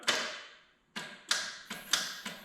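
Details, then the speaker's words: Nissan S14 with SR20 engine, first start attempt after fuel pump primes: sharp irregular clicks, about six in under three seconds, no cranking; starter clicking, suspected low voltage from flat battery, bad terminal or missing ground. "it sounds like it's not getting enough voltage to the startup maybe did you miss a ground wire or something"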